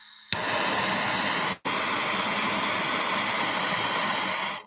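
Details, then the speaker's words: Handheld torch burning probably almost 2,500 degrees: sharp pop on lighting, then a steady hissing roar with one brief cutoff; clean, even, normal flame. "A torch like this, it burns at about 20, probably almost 2,500 degrees."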